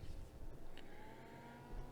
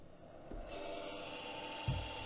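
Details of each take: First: Replacement Noctua 80 mm fan in an eight-year-old MFJ-4225MV switching power supply, wired on red and black only, not yet mounted: spins up quietly with a low steady hum and faint even whine, replacing the original noisy fan. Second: MFJ-4225MV switching power supply, about eight years old, at switch-on: a steady whirring hum with a faint whine from a worn, noisy cooling fan, later replaced with a Noctua 80mm fan.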